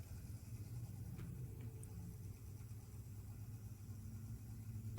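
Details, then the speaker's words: Vintage Elcon disc fan from about 1930, being revived with lubrication and run through a dim bulb: a soft low motor hum with a faintly wavering pitch that creeps upward. The fan spins slowly and the bulb pulses, so motor speed is uneven. "it's not spinning very quickly mmm that helped see the balm is having a bit of a pulse there"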